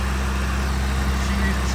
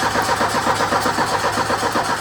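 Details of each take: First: 1984 Ford Mustang SVO, four-cylinder turbo, 5-speed manual, first start after a new fuel pump, before coolant is added: steady, smooth, even idle with no knocks or misses, running nicely. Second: 1984 Ford Mustang SVO four-cylinder turbo, 5-speed: steady even cranking at about four beats a second but never fires; crank no start with fueling problem, fuel pump or clogged injectors suspected.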